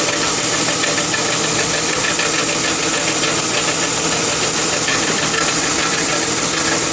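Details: 2002 Lincoln Town Car idling with fast, sharp, tinny knocking that goes away when driving, no overheating, oil good; caused by a failed driver's side catalytic converter, replacement stopped the knock.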